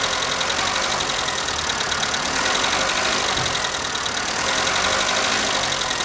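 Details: Skoda Fabia cold morning idle: fast, light valve-train ticking at about four per second; all hydraulic lifters replaced by the dealer over three visits without change; cause unconfirmed.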